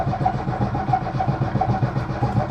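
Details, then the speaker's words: Lada Niva after about a month on its side on a rotisserie, in neutral: starter spins the engine steadily at about five compression pulses a second but it never fires; fuel suspected not yet reached the carburettor. Cranks, no start. "nothing so far yolk I don't think fuel is there at the cap just yet but it will be"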